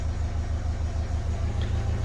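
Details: Renault Kangoo K9 diesel that flagged the glow-plug warning, lost power and would not rev, started after reassembly with the accelerator pedal sensor checked: even, steady low chug with regular firing pulses and no misses or knocks. Idles cleanly.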